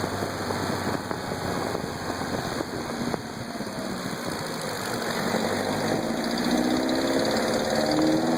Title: Knocking sound